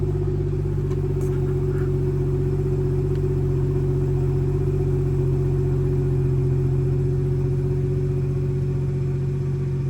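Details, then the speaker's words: BMW B58 with valve-actuated exhaust after replacing the broken exhaust valve actuator bow spring (part 18307620323) and tightening bolts: steady, smooth idle rumble with flaps closed, no metallic rattle. "All right, so we got a plane flying right above us, but I got the bolts tightened up, and let's turn the car on and make sure there's no rattles."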